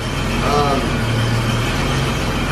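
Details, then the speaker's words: 1991 BMW 735iL E32 with the M30B35 inline-six, first start after a valve adjustment (one valve changed) and a new cap and rotor: a steady, even idle with a low rumble and a ratty edge from an exhaust leak; it runs cleanly, earlier it was sometimes stumbly. "Off the top of my head, I can't say whether or not it sounds like it runs way better. Like I said, it didn't run bad per se."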